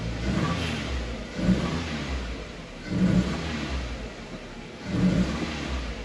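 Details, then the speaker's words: 1998 Toyota Tercel, cylinder 3 misfire, fails on start: short revs with an uneven, lumpy beat and vibration felt when put in gear. "se siente que falla ponerlo en cambio se siente la vibración"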